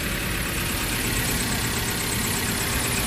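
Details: Suzuki APV Arena petrol engine at idle after replacing the worn, damaged fan belt (only 3 of 4 ribs left) and retensioning; the squeal when turning and with AC on is gone, idling smoothly with no chirp.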